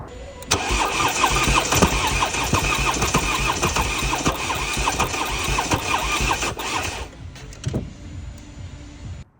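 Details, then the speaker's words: 2018 Ford Transit Connect 1.5 TDCi, 50,000 miles, non-runner: about six seconds of cranking with some but uneven compression, skipping beats and never firing; one camshaft not turning because the cam chain snapped. "Normally, when a belt breaks or a chain breaks, it just spins over with no compression whatsoever. But this has got some compression. Um, but it just doesn't sound right. It's skipping a beat."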